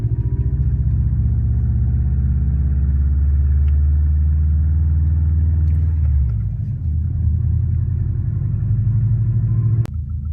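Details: Warm 2004 Subaru WRX stage 2, 150 psi compression, 5-10% leakdown, no oil burning: deep boxer rumble with fast uneven ticking keeping pace with engine; suspected piston slap, actually cracked up-pipe flange exhaust leak.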